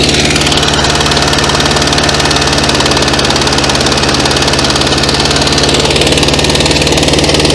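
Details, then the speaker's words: 1966 VW Beetle flat-four not run for about 10 years: a loud, uneven idle that stumbles and won't keep running; owner suspects an intermediate carburetor jet issue, and possibly bad plugs. "you know I thought we've got an intermediate jet sort of issue doesn't want to keep running"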